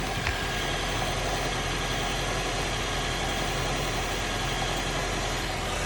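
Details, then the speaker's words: Honda CR-V at warm idle after an 80 km trip, recorded near an electrical component under the hood: a light, uneven rattle through a steady hum, much worse on cold start, persisting after an early oil change; owner suspects the gearbox. "No teraz jak jest rozgrzany trochę mniej, ale cały czas to grzechocze sobie radośnie."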